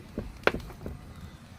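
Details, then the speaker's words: 2017 Chevy Impala door: a few sharp, dry clicks about a third of a second apart as the door swings; worn door check, to be replaced after removing the door panel. "It's this. That's the problem, and it's called a door check."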